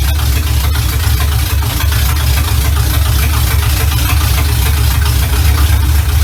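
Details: 1970 Chevy Impala V8, first run in 4 years right after fitting a new carburetor, ignition advance not yet capped: deep smooth steady idle with even low rumble, no stumbles or misses; runs much better than old carburetor, normal idle.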